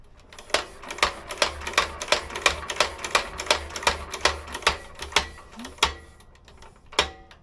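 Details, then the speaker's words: Petter A11 (A1 series 2) vintage stationary engine, long stored damp, points scratched clean: crisp snapping ticks at every flywheel turn, about three a second, steady without gaps; magneto sparking consistently, even above impulse. "Nice consistent spark all the time, even above impulse."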